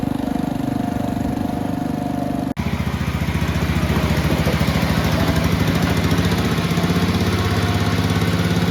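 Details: Red 1962 Bolens Ride-a-matic garden tractor, start and drive test after restoration work: even, regular single-cylinder beat picks up speed after a short break and holds smoothly at higher revs; runs very well at varied rev levels and sounds healthy.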